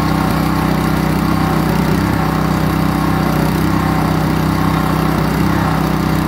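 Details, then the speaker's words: Kohler SH265 6.5 HP engine being fitted to a pressure washer: chugs at a steady idle with an uneven, lumpy beat, WD-40 burning off the exhaust; running rough, perhaps bad fuel. "this gasoline has got some uh just some wd-40 burning off the exhaust water issues friends yeah let's rework this exhaust i could hear it the way it was running"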